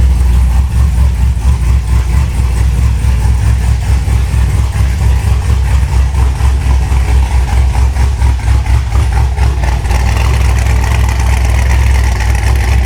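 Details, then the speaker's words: Engine with regular port injectors, about 76,000 miles, reportedly tuned by others: deep lumpy idle with uneven loping pulse around four beats a second, not tuned right; later found running rich. "oh yeah I do hear that sounds so weird [Music] this thing is not tuned right"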